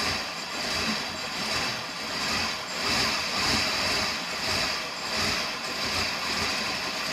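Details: Suburban hard to start after overheating, only on the first cold start. Slow cranking wavers about 1.5 times a second for several seconds before it finally catches, with a small backfire after starting.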